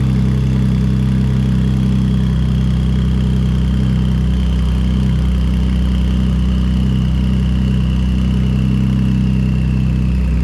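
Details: Ford Police Interceptor Utility (Explorer), first start after replacing twin turbos and reassembly: very loud, deep, steady idle rumble, even throughout with nothing muffling it; exhaust thought not hooked up, nothing coming out of the tailpipe.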